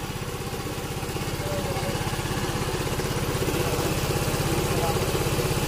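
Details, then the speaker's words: Yamaha Mio M3 scooter, not run for a year, after injector and fuel filter replacement: even, steady single-cylinder idle without hunting or stalling; idles cleanly on its own. "Ayan na siya mga idol. Naandar na siya."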